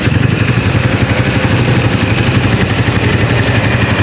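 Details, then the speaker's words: Microbike EXT150 after upgrade from 150cc to 200cc with a 65.5mm cylinder block: steady, even single-cylinder thrum at idle with no knocks, ticks or hunting; engine quiet, starts quickly and idles well, though the exhaust is damaged. "Pero yung tunog ng makina niya, ayan mga boss. Yan, tahimik naman siya."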